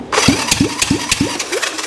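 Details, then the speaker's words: 1965 Honda CB450 Black Bomber replacement engine, cranked by a jump box on the starter with a thumb over the spark-plug hole: a steady, strong, even puff about three times a second; healthy compression. "guys that sounds pretty good that sounds way better than most of the stuff I drag here and it had a really good uh solid compression"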